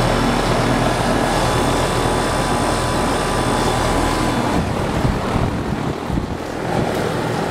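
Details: 2001 2-ton Carrier TECH2000 air conditioner with Copeland scroll compressor, R22, running in cool mode with a Carrier Infinity furnace: steady low hum and even fan whoosh, no knocks, rattles or squeals; good subcooling; normal.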